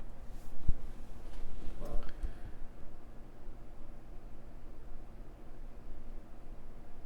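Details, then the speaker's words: MacBook Air A1466 after liquid-damage no-power repair, booting: quiet, steady low fan hum, not ramping wide open, suggesting it sees all its sensors; the fan sounds normal. "uh i can't say the sounds like the fan is not ramping wide open so it may be happy it sees all of its sensors that's good"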